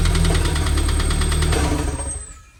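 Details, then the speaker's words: Honda K24 engine in a 911 build, at idle after plugs were reinstalled. A deep rapid knock of about nine per second fades as it shuts down. Owner says it seems to come from right behind the timing cover, and a VTC issue was ruled out. "Still doing it. So it's not a VTC issue. I don't know. It sounds like it's coming from right behind the timing cover."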